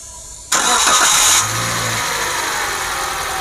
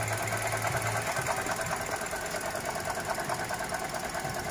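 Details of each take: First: Toyota Grand New Avanza 1NR-VE engine restarted after repair: starter whirs, engine settles into a smooth, even idle, and the earlier odd noise is gone, so its source was outside the engine, possibly the idler pulley. Normal idle. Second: Toyota Grand New Avanza 1NR-VE petrol engine idling with a constant rough, gravelly whirr, traced with a stethoscope to the alternator, possibly its shaft; the water pump was also checked.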